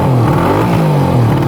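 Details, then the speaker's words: 1974 Suzuki GT750 two-stroke triple, revived after 30 years in a barn; an even, buzzy burble with steady pulses at idle, apparently firing on all three cylinders. "So it's running really good. I believe it's running on all 3 cylinders. It sounds like it at least."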